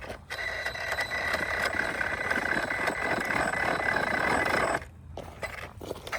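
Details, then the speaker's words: Losi RZR Rey RC buggy fitted with dually tires, driving after jumps and a backflip: a constant gritty grind under a raspy whine with fast clicking about four per second, then it cuts out. The differentials are suspected to have failed, not confirmed. "Well, that was fun while it lasted. junk. I told you the diffs were garbage."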